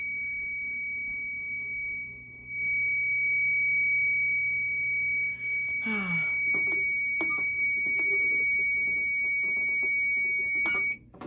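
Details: Fire alarm pull station activated during home system test 16 with SK2 panel acting up (no resistor, no batteries), washing machine running nearby; steady piercing high-pitched electronic tone holds about eleven seconds then cuts off, the alarm sounding.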